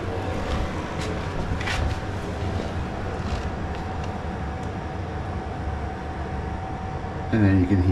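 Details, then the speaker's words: Newly installed diesel air heater in a shed, battery powered, room 15 degrees: after switch-off the fuel pump stops and the heater runs its normal roughly one-minute fan cool-down, a steady fan roar with a faint constant hum and no pump ticking. "then you can hear the fuel pump is switched off, and now it goes through its cool down sequence. It'll take about a minute."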